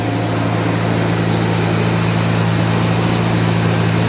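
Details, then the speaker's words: 1991 Mercedes 190E just after new hydraulic lifters fitted, first start after sitting a day with lifters bled out: smooth steady idle, even low hum, no valvetrain ticking even before lifters fully filled; normal idle. "these lifters even not fully not fully uh filled no noise not even properly filled up"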